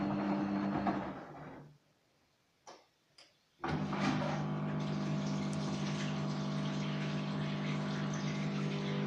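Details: Gorenje WA50060 washing machine, recorded 2017, during rinse drain: after a short quiet gap a steady low hum with water rushing through holds evenly; drain pump sounds normal.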